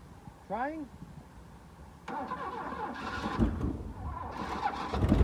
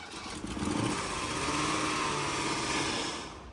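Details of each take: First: Mercedes W126 380SEL sitting about 15 years, no fuel tank fitted, battery weak: bursts of uneven starter cranking for a few seconds with no firing; cranks but no start, no fuel supply. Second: Mercedes W126 380SEL V8 first started after sitting about 15 years, running on an external fuel source with possibly too much fuel: smooth revs rising and falling cleanly, no knocks or misses, healthy but slightly rich.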